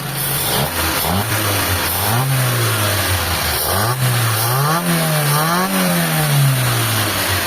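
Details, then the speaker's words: Mitsubishi Lancer after cleaning its dirty carburettor (previously wouldn't run, owner reported white exhaust smoke), now with calm idle: clean crisp revs rising and falling smoothly, no misfire or stumble; engine pulls strong, normal revving. "Ayan mga bossing, powerful na yung makina."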